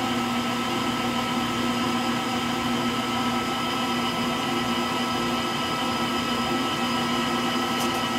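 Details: Frigidaire Gallery front-load washer GLTF1670AS1 final spin with bad motor bearings: steady whirring drone with a hard, gritty whine through the slower spin, likened to a Pratt & Whitney JT8D jet engine.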